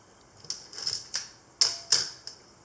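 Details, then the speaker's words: Olympus OM10 FC in manual mode with motor winder, shutter speeds stepped up: six crisp clicks, each quicker and sharper than the last, with no drag or hang, a healthy shutter. "an eighth of a second and so on and we'll crank it all the way up to a thousandth of a second"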